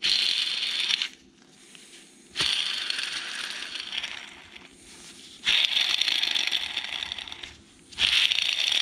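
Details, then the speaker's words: Polaris RZR Turbo front differential bearing removed from the housing and spun by hand: gritty, rattling hiss fading as it slows, three spins; bearing is worn out and the main culprit, to be replaced. "so here's our culprit that definitely does not sound right there might be a little debris in there now but it was already noisy but now you can really hear it out of the housing"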